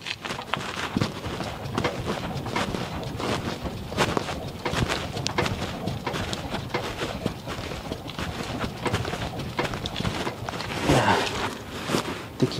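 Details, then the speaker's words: 2002 GMC Envoy, engine off, body rocked: irregular hollow clunks from the rear with each rock; broken rear stabilizer (sway bar) link. "hear it i think it's the stabilizer link bar let's go on the other side i think this is a broken stabilizer link bar"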